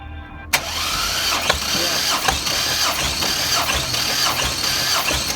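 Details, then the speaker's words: Junkyard 2005 GMC Envoy 4200 Atlas inline-six, compression test by remote starter with oily cylinders; sharp start then even, steady cranking beat with no stumbles; about 185–200 psi readings, compression strong and healthy. "yeah first the first stroke was already 200. this engine is good she's oily but she's good"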